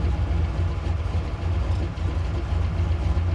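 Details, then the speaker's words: 1937 Chevy hot rod, small-block Chevy with Quick Fuel carb, cold start on choke while on jack stands, newly installed air-fuel gauge reading about 15 at idle; deep, steady, even low rumble with no knocks or misses, a normal cold idle on choke. "okay so we're at an idle at about 15 with the choke on I think that's just about perfect"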